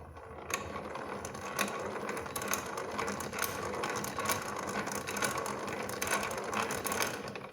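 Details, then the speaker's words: 1920s Luther household hand-crank grinder after repair, shafts pressed apart and copper thrust washers added to fix play and internal grinding: even hand-cranked turning with light steady gear clicking; runs much smoother, though the wheel is worn. "I think this came out pretty good. It's running much smoother now."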